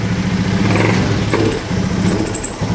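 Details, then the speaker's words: Honda Scoopy FI scooter at idle: engine sags and stumbles as the throttle first opens, nearly dying or stalling; sensors fine, no fault codes, cause said to be minor. "digas malah mati. Ini malah mati digas. Saya ini sudah bingung sekali."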